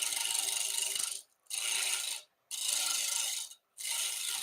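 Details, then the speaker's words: Woodturning lathe roughing an out-of-round oak blank with a skew, peeling cut using half the tool width: hissing cutting bursts with silent gaps and fluttering tick as the blank bounces, until it runs round. "Tool down angle on the tool rest and engage. Notice I'm only kind of cutting in half of the tool width for this roughing, peeling cut."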